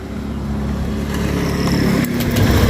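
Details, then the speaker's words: Honda Beat scooter after carbon cleaner treatment, restarted on starter: even settled idle, steady low putter, no hunting; IACV closed, RPM back to normal. "Oke, IACV bekerja tadi, terbuka terus sudah nutup, RPM sudah kembali normal. Tadi RPM tinggi, udah ya, aman loh."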